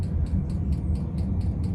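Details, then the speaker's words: 5 kW Chinese diesel heater with new ultra-quiet fuel pump, running at full speed: soft light ticks four to five times a second over low heater rumble, quieter and less metallic; normal metering-pump ticking. "still heit that tick tick tick but it's so much quieter sounds less metallic in a way"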